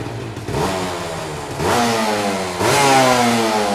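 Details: 2001 Honda Nova Dash RS125 two-stroke 125cc underbone, started with one kick; crisp two-stroke buzz with three clean throttle blips, each rising smoothly and falling back without misfire. Normal revving, healthy engine.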